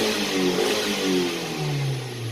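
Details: Hyundai-scanned petrol engine (about 100,000 on it) after spark plug repair and adaptive value reset: smooth, even revving with no misfires. Before repair it had misfires, had once stalled while driving, and the plugs were leaking spark.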